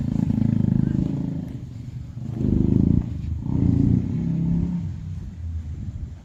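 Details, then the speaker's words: Benelli 125 TNT Tornado, not yet warmed up, after output shaft bearing collapse repair with full engine strip; revs blipped up and down smoothly, even exhaust note, no knocking or rattles, sounds healthy. "now we mess around the engine sounds sweet and we got Gears"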